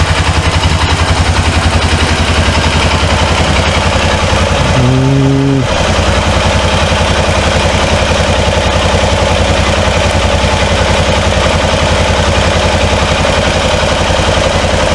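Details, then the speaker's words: 2005 Honda Rincon TRX650FA ATV, reported carburetor issues, weak battery, on reserve fuel: steady, even idle putter with no knocks or misses after a struggling starter restart; the engine idles healthy. "I can't ride it because the battery is just kind of hanging in there got to get the right battery for it so I can't ride it yet but you can hear it run"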